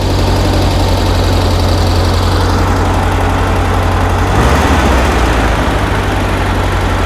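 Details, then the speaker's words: 1975 fuel-injected VW Beetle, air-cooled flat-four, slightly cold, idling low and steady with a deep even chuff and a brief dip midway; normal idle after the faulty cold start valve causing high idle was dealt with. "But yeah, that uh that cold start valve was the issue was the issue on the high idle. That sounds good."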